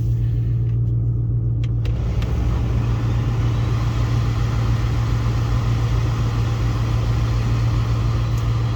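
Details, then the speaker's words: 2005-2009 Ford Mustang after replacing both blend door actuators: a steady low hum from the engine and blower with no more clicking behind the dash; the HVAC is working normally. "No more clicking, that's nice. Everything works the way it should."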